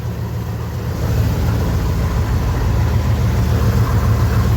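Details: 1976 Chevelle Malibu V8 after a new transmission install, exhaust cut off except the catalytic converter, cold start: deep, even rumble, loud open exhaust, rising slightly then steady; healthy cold idle.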